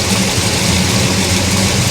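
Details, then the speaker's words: Monte Carlo V8, first start while setting timing: steady, fast, crisp idle with a hard edge and no misses; about 45 degrees advance at idle, far too much, timing to be reduced. "Oh, we're lost way too much. Take some timing out of it. It had like 45 degrees at idle."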